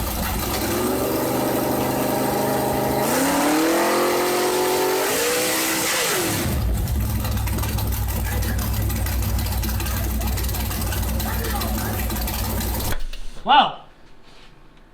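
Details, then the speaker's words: Rally Camaro project, first run, no exhaust or O2 sensor, little old fuel in tank: raw unmuffled V8 revs up twice, then drops away and dies mid-run; stalling, suspected out of fuel. "didn't expect it to shut off but we might be out of fuel"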